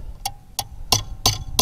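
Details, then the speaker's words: Delphi common rail injector from a Bobcat/Doosan engine on a test bench, nozzle holding: crisp, evenly spaced solenoid clicks about three per second, with tiny ticks in the back leak line at 2000 psi; injector working properly. "oh we see that thing fire so you should be able to hear this solenoid firing right now so that that looks like a good injector so right now it's working properly"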